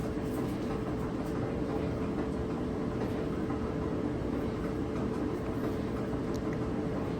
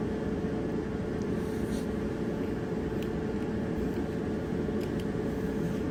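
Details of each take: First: Dryer before drum roller replacement: steady rumbling knock about three beats a second while the drum turns, wobbling noise from a worn drum roller. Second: Dryer that made a wobbling noise, after drum roller replacement: steady, even rumble and hum with no rhythmic thump or wobble knock; drum turning smoothly, normal drum rotation.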